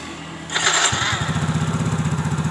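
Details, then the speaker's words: Yamaha Mio GT 125 scooter with a no-start complaint despite a 12 V battery, normal lights and good compression. Fuel pressure is 40 psi; brief starter crank, then it catches at once and settles into an even, steady idle. Normal start and idle. "hidup dengan normal di tekanan 40 sampai 402 PSI"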